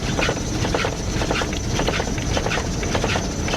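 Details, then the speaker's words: 1999 Dodge Ram Sport driven after six years abandoned, blew a tire on the highway, now under 10 mph: rhythmic slapping thump under two beats a second over road rumble; blown tire flapping. "yeah i blew a tire on the highway"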